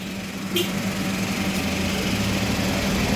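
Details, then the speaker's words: Toyota Wigo after replacing damaged wire (previously check engine light, misfire, rough idle ~900 rpm vs normal 750): engine idles evenly, steady hum, no stumble or rattle; smooth. "so ayun na guys after k mapalitan ng bagong wire so Napalitan ko na ng bagong wire yan so Okay na natin smooth na yung"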